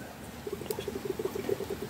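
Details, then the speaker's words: Volvo with a new power steering pump fitted after a failed serpentine belt, reservoir overfilled with CHF 11S fluid: quiet bubbling and gurgling, about eight bursts a second, as air escapes while the pump primes and the level drops; normal priming. "put that down, you hear that bubbling. Okay, that's now down to about here, so the pipe's full, the pump is primed, and of course there was already a good lot in the system."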